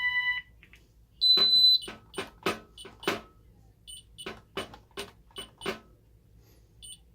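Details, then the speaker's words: Ademco 6128 alarm keypad, fire panic triggered by pressing 1 and star (star and pound also triggers it): sharp high beeps in quick uneven bursts over a quiet room as the fire panic alarm sounds. "So 1 and star, if we push that, that's our fire panic. And star and pound is also a fire panic."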